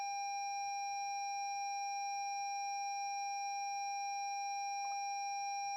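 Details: 2017 Lexus NX 200t with new battery after a reversed-polarity jump-start sparked: steady electronic dashboard warning chime held without pause, no engine; starter won't crank on start button; locks, signals, high beams work, fan, parking brake, transmission dead.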